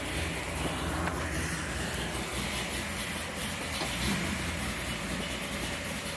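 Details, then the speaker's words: Pontiac Tempest, carbureted with no choke, cold after sitting all winter: hunts unevenly at a low idle with no throttle, trying to settle and stay running, almost wanting to idle; cold engine struggling to idle. "Almost wants to idle. Doesn't take much. Yeah, it's trying."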